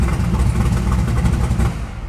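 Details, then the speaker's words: LS3 resto-mod Camaro with Terminator X: quick throttle blip to 3000 rpm, deep clean V8 rumble swelling and settling evenly, no knocks or rattles; healthy engine. "give it a little bump of the throttle that was 3000 RPM so yeah this is a"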